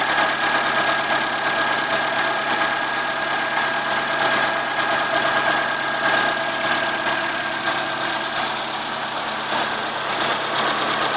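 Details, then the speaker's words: Chevrolet Corsa 1.0 8V VHC at idle: faint uneven knock over a thin whine, starting right after startup, stopping after about two seconds, then returning; stops when alternator belt tension is released, alternator swapped, new tensioner; owner suspects main or rod bearing. "Como já deu para perceber agora de primeira o barulho começou e parou depois de um tempo ele volta"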